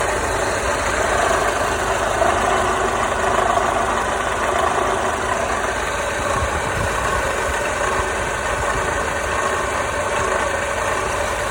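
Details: Mercedes W208 engine idling with a loose, uneven knocking and a dry scraping edge; engine knocking and scraping at idle.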